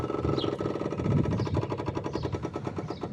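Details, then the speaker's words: Yamaha Virago 535 carbureted V-twin cruiser, cold start with choke on, before starting: fast, even ticking at roughly ten clicks a second from the electric fuel pump priming; normal. "sound you hear is actually a fuel pump. This is carbureted, but it does have a fuel pump, so it's kind of neat."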